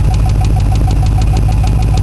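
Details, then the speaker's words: Engine after a cold-weather start, warmed for a couple of minutes: light, quick, even ticking about seven per second over a loud idle, owner suspects valve train under the valve cover; cause unconfirmed. "Well, it's warmed up for a couple of minutes, and that tick is back. I don't know how well you can hear it, but I swear to God, it sounds like it's coming from under the valve cover here. Sounds like a valve train issue."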